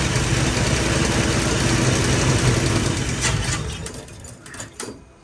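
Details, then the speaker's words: 1973 Dodge Challenger cranking: steady rapid rhythm around four beats a second with no firing; timing suspected too advanced or 180 out, but there is thought to be no fuel in the car, so fuel starvation is the likely cause. "There's fuel in that filter. I don't think you have any fuel in there. I don't think you have any fuel in this car. That's your problem."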